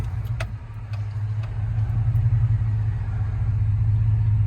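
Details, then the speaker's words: 1999 Dodge Ram 1500 with the 5.2 (318) V8 and 5-speed, after a fix for a long-running misfire and rough idle: low, smooth idle with a steady rumble, no surge, knocks or misses; runs perfect. "It's perfect. Stick around for a couple revs on this thing. It sounds real good."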